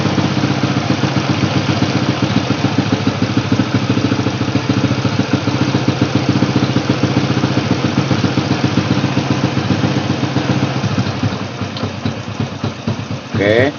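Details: Honda Supra Fit X motorcycle after repair, during air-screw adjustment: even, quick putt-putt idle steady at about three to four beats a second with no misses; normal idle.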